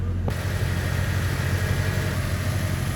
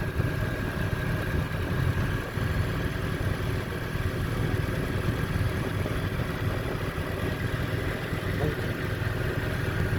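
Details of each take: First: यह देखिए गाड़ी बहुत ज्यादा रेस हुई है आप इसका बहुत ऊपर गए हुए racing Second: Petrol car after rough idle fix, rpm previously high around 1800 now stable at 950: low even idle, steady hum, no surging or misses; normal idle.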